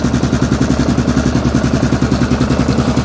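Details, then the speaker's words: 2002 Yamaha Grizzly 660 ATV unrun for 8 years, new spark plug, still cold with idle adjusted up; even regular single-cylinder thump at steady idle, no misses or clatter; running cleanly. "there we go that sounds really really good this like i said this thing hasn't ran in eight years"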